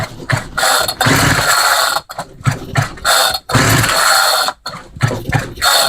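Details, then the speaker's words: Homelite string trimmer that ran about 5 minutes then died: repeated pull-cord bursts, hissy whoosh like sucking air through the carb with gear rattle, never catches; owner suspects insufficient fuel or vacuum leak at a damaged carb gasket. "Interesting. Wonder if it's just not getting enough fuel, because it sounds like it's sucking air through the carb."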